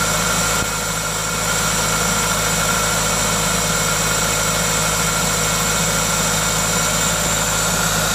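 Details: Toyota 2ZZ-GE engine at idle with an aftermarket induction kit: steady, even idle with smooth low hum and constant airy intake hiss from the induction kit; no knocking, normal engine noise.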